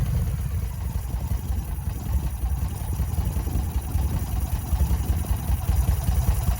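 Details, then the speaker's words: 2005 Yamaha Road Star V-twin, first start after about five years sitting, new battery: low, uneven, lumpy idle with clatter and hesitation; owner suspects the starter is not fully engaging, possibly seizing from storage. "i am fairly surprised that she did actually start up it does sound like we've got some this is a brand new battery it's topped off it's got its full voltage sounds like the starter is not fully engaging sometimes and it may just be that it's set for so long it's seizing up"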